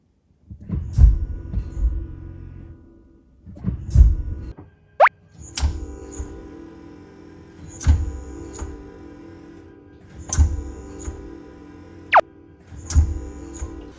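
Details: 2016 Mitsubishi Outlander PHEV: single dull thud from the rear each time drive is selected, repeated every few seconds, less in reverse; caused by perished rear differential centre mount bush, to be replaced.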